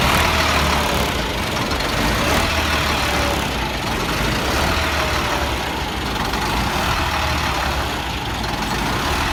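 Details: 1999 Freightliner diesel truck with hard start/no start, at idle; heavy idle swells and sags every couple of seconds, hunting, with blue-gray exhaust smoke, then dies; owner suspects bad fuel pressure sensor, unconfirmed: surging idle.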